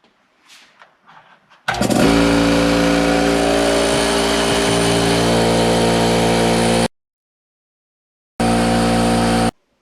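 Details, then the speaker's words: Porter Cable air compressor that only built about 10 psi: pump starts and drones steadily with a hissy edge, then cuts in again briefly; air leaking because of faulty reed valves, before repair. "in this video basically I'm going to go ahead and tell you exactly what was wrong with it it was the read valves and I'll show you where those are at shortly"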